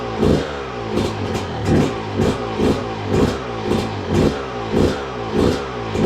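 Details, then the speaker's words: 2002 Yamaha YZ125 two-stroke that sat a long time, first run after cleanup with choke on: crisp blips about twice a second, clean rise and fall, no knocking or clattering; crank sounds good, engine healthy. "Crank sounds good. There's no knocking or clattering, which I honestly didn't think there was any problem at all with the crank after, you know, looking at it, cleaning it up."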